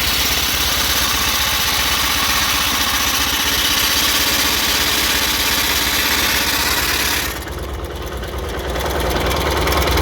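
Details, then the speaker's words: 1983 John Deere 116 Hydrostatic lawn tractor with electric fuel pump, started on a jump pack because the battery is dead: steady even idle, briefly settling then running on with no misses or knocks; normal start and idle. "that all seems to work because, like I say, the tractor runs good."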